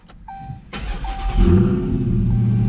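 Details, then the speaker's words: 2019 Dodge Charger Hellcat V8 restarted after E85 flex fuel kit installation, checking fuel lines for leaks: starter whir then steady, deep, even idle with no stumbling or misses; starts nicely, no leaks found. "All right. Seems like it started up nice. Seems like it's running good."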